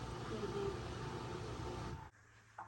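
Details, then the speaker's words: Asko W2084 washer (complaint: not draining, not advancing to next step) stalls in its final spin: a steady humming roar, then a funny hum at the end before it cuts out abruptly to a faint drone, failing to reach full spin; timer stuck. "because when it's trying to go to the fullest fan cycle it doesn't go to the fully spin cycle it stops back after that noise you hear that humming noise that funny noise at the end and then after that noise it stops"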